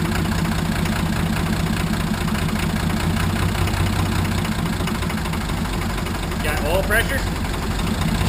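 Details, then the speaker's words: 1980 International Harvester Travelall with Nissan SD33 turbo diesel, just after oil, fuel and air filter service; steady low diesel idle with even regular beat, no knocks or misses; slight roughness expected from air in fuel after filter change. "Oh, wow. Sound real good. Real good."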